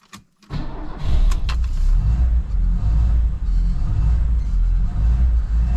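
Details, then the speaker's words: 1975 Lada 1500 (VAZ 2103), under 70,000 km, cold start after six months standing, pedal pumped first: brief crank, catches immediately and settles into steady, even cold idle with light blip; starts healthy. "Dívejte, po půl roce jsme chytli na první dobrou studený ruský odchov."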